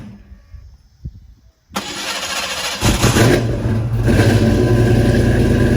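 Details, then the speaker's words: Fox body with 331 stroker after flexplate replacement; teeth had been ground flat by the starter. Short clean crank with no grinding, then it catches within a second into a steady lumpy idle. Starts much better; normal cranking. "all right guys so got the flywheel back in the car it only took about three and a half hours and the car starts much better now"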